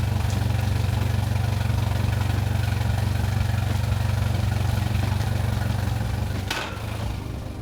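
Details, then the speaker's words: Mercury Pro XS 115hp 2.1L outboard on a Mako 18LTS after a 100-hour service with new thermostat, impeller, plugs, fuel filter and fluids. Warming up about 10 minutes to verify the thermostat opens and there are no leaks: steady, even idle with no knocks or grinding. "we're going to run this motor for about 10 minutes what I want to do is have the engine fully warm up have the thermostat open up to make sure I know it's working properly"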